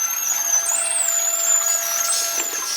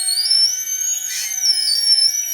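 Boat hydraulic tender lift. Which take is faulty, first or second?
second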